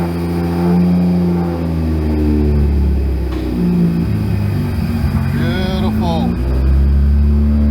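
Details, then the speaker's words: Car on a newly wired ECU Master Classic ECU, after freeing a stuck idle control valve and refitting it: engine catches and settles into a steady, even idle with no hunting or stalling; idle control working, normal idle. "Beautiful. Good. All right, guys. Um, after getting the car running, idling, and had everything sort of going all right, I thought I'll check um the fuel pump."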